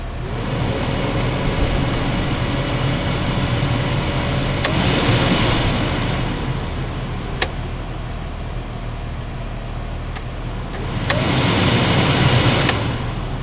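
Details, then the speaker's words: 2005 Jeep TJ after an HVAC rebuild (heater core, A/C lines): the blower, which previously would not change speed or vent location across its 4 speeds, gives a steady air rush swelling as speeds are stepped, with switch clicks; low is very slow and it works normally. "And see, low is really low. I mean, that's like a slow motor speed."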